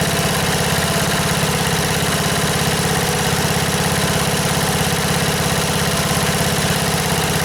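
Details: 1977 MTD 990 (Dayton-badged, 16 hp) tractor after fixing electrical no-start: even, regular single-cylinder putter at low idle with no misfires or knocking, deck engaged; engine runs smoothly.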